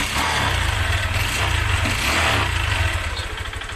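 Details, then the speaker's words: Single-cylinder motorcycle being revved, with a fast, uneven light ticking inside the engine that rises with revs; source not obvious and owner asks what could be broken. "Ayun na mga kaburnek, may lumalagitik sa loob niya mga kaburnek."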